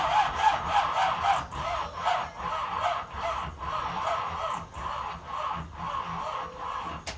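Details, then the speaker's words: Hugger Orange Z/28 one-owner survivor, battery reconnected after sitting, charger at 150 A setting, gas pedal pressed: starter drags engine slowly, about three labored turns a second, uneven, not catching; slow cranking, battery blamed, not confirmed. "Give it some gas. It's not turning over right. It's too slow. Battery's not working."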